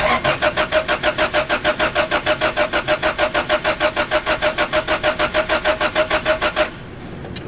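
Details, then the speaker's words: Honda Civic crank no-start, next diagnosis session: fuel pump still not heard priming, with a fuse and possible short being checked. Starter cranks steadily about three times a second for nearly seven seconds, never catching; crank no-start, cause unconfirmed. "but I'm just gonna try to start this let's see I still didn't hear prime"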